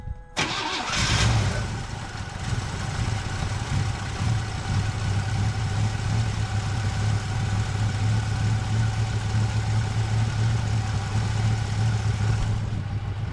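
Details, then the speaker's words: 1981 Pontiac Firebird, long sitting, just started: lumpy uneven idle with a loping beat, seemingly running on four or five cylinders, plus an exhaust leak underneath; owner plans tune-up with cap, rotor and plug wires, possibly mouse-chewed. "So, definitely seems like it's running on about uh, you know, four or five cylinders."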